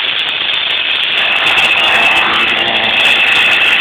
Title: '98 speedster rattling noise